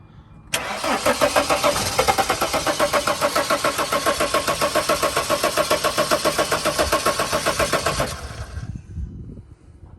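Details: 2006 Dodge Sprinter diesel van, battery 12.2 V, one glow plug missing: fast steady cranking about seven seconds, turns over freely but never fires; crankshaft position sensor malfunction blamed, cause not confirmed.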